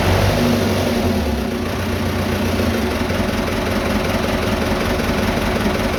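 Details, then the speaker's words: Vintage diesel tractor (the "77") that wouldn't start after sitting two days; tank found with zero fuel, refuelled and lift pump primed. Now idles with a steady, even clatter, no misses or knocks. Healthy idle. "Of course, it fires up! It fires up! Of course, it fires right up."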